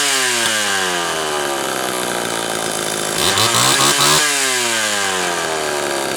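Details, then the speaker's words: Homelite Super XL chainsaw test run after reassembly: high buzzing two-stroke rises and falls cleanly with throttle blips, wet cylinder, good compression; piston side scored by chipped reed but rings undamaged, runs healthy. "I'm sure sounds pretty good wet cylinder it's uh got good compression"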